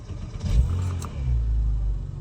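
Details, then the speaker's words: Porsche 987 after fitting a new Exide Premium EA770 battery: a very short crank under a second (previously about three seconds), then it catches cleanly into a deep steady rumble. A healthy, quick start. "that's a significant Improvement and it sounds if the car just starts to be more or less straight to us"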